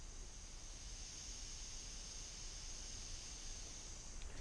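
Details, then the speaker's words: Car stereo with Zapco laptop-tunable DSP feeding the amplifiers: a constant thin high-pitched hiss with no music playing. The owner first suspected top-end overdriving, but the DSP seems to have failed. "can hear that little bit of hiss is absolutely driving me nuts"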